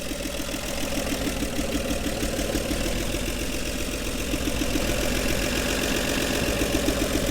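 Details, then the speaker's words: 1961 Chevy Bel Air 235 inline six, parked since 1981, idling on day three with new gas tank and push-button starter: even steady beat about four pulses a second, no misfire or knock; healthy idle though timing slightly off, radiator empty. "it idles beautifully this car has been off the road since 81."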